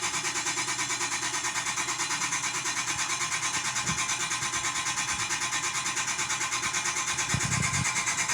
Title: CHEFMAN MAKES A SCARY GRINDING NOISE?!